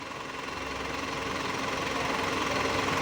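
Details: Mitsubishi Canter Euro 4 common-rail diesel during scan-tool injector cut-out test: steady even clatter about 3.5 beats a second, no stumble; all cylinders firing, normal idle.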